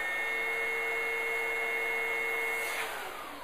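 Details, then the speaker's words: Oreck Commercial PRO12 upright vacuum with a simulated full bag/clogged hose: steady roar with the high "whizzo" warning whistle, then the motor shuts off and winds down from overload. "Not only did you hear that whistling noise, which we call it the whizzo, which is our harmonic type device, but we also, the unit itself shut off."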